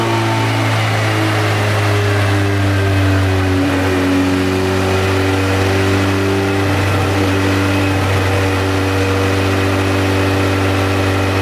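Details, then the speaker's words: Turbo Honda Civic on a dyno with rpm synced and a new wideband sensor, injectors suspected of skewing air/fuel readings: steady high-rpm drone that stumbles and drops out briefly a couple of times; breaking up under load, suspected fuel cut. "2040 2040 2040 I mean it's literally all over the place [ __ ] music saying that sounds like fuel cut to me"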